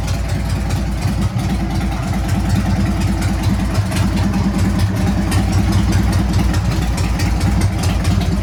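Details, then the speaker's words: Harley-Davidson Sportster 883 converted to 1200 with Wiseco pistons, rings and cylinders, on first start during the heat cycle at about 79 degrees, 105 on the pipe. Deep, even loping V-twin idle that holds steady; it sounds healthy. "Wow, don't sound bad. I'm supposed to rev it. I'm supposed to be doing a heat cycle."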